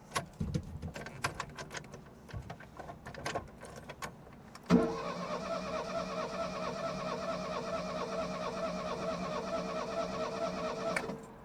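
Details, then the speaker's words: Ford Fiesta MK1 that had stood for a few years, cranking steadily about six seconds with soft, uneven compression beats and never catching; suspected low compression, not confirmed. "Now it won't start. About as good as it gets. I think you can hear it doesn't have much compression when it turns over."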